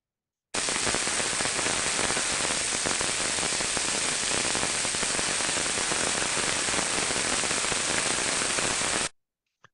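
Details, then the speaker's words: Ultrasound probe on a rolling bearing: dense, uneven crackling and popping instead of the smooth, even rush of a good bearing; early-stage bearing defect. "un rulment bun ca și exemplu audibil va suna un zgomot uniform liniar cursiv în timp ce un rulment Ce prezintă niște defecțiuni în stadiu incipient va avea un"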